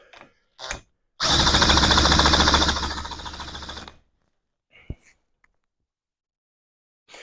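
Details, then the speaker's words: Johnson Seahorse outboard after carburetor refit, cranked with a drill, no choke: quick irregular coughs for about three seconds, then dies. Hard start, fires but won't keep running; owner suspects fuel supply or a closed shut-off valve. "sounds like it is trying it's getting better I think no joke do we need more speed on the drill well that was really quiet so why isn't it why doesn't it keep [Music] running"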